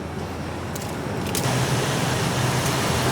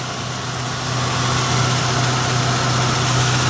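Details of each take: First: Mazda found running with almost no oil, roughly 250–300 ml in it: smooth, even idle with no knocking or ticking despite the near-dry engine; idling with very low oil, no knock. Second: Mazda in Brisbane found running with almost no oil (leaking, maybe burning oil), after refilling to just over full line: smooth even petrol idle, steady low hum, no ticking, now so quiet — normal idle after oil top-up.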